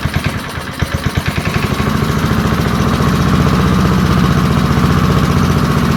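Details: Early-1970s BF Goodrich push mower, a barn find that sat for years with a seized engine, now freed and running outdoors after carburetor diaphragm work: sharp pops at first, then a fast, even putter that holds steady. Normal running.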